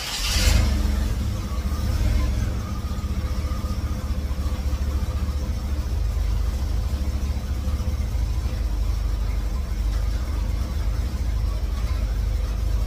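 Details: 1954 GMC COE with GM 4.3L Vortec V6, cold start on new spark plugs while setting timing: brief burst then deep, uneven lumpy idle; fits ignition timing set too far advanced.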